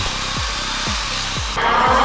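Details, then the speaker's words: ZD Racing RX12 RC rally car on indoor track: motor whine drops away with each lift, then harsh high grinding rasp as the spur gear strips its teeth. "And our session came to a grinding halt. As it turns out, that sound was the spurgeear destroying itself."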